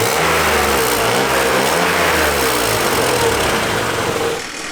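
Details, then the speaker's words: 1997 BMW E36 M3 sedan idling with stock exhaust, heard under driver's side: raspy, puffing exhaust leak near the cats and a loose heat shield buzzing about four times a second, before muffler swap and repair. "You can hear that lovely, lovely heat shield rattle and exhaust leak, so we're going to take care of that."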